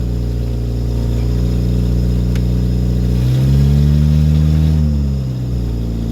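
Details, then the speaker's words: Woodgas-fueled Chevrolet Cavalier after fixing PVC piping leaks, warming up with a little throttle: steady even note climbs smoothly, holds, then settles back, running clean without misses; apparently better gas now, normal running under throttle. "okay you can hear it's running i'm letting it warm up a little bit got a little bit of throttle put into it"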